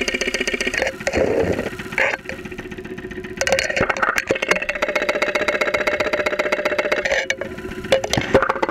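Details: 2001 Saturn SL2 run with very low oil and unused for two months, heard through a stethoscope microphone on the block at idle with 35-40 psi oil pressure: a quick, uneven knocking rattling through the idle. Internal knock of unclear origin.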